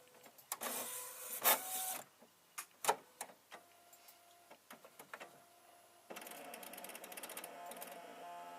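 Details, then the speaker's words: Epson WorkForce WF-7515 all-in-one at power-up after the scanner bed was wiped slightly damp: sharp clicks, then buzzy straining rattle as the scan bar motor jams and won't home, giving scanner error with 5 beeps; owner suspects motor fault or missing limit-switch position. "got mortars jammed up see up there this ball is not moving tights like it's Fraggles somewhere it shouldn't"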